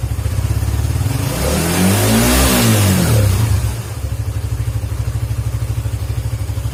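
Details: Suzuki GSX motorcycle whose stumbling or near-stalling on closing the throttle was traced to a dirty idle speed control (ISC) valve, fixed by cleaning it. Revs up smoothly, then drops back to a steady, even idle with no stumble or dying as the throttle closes. Normal.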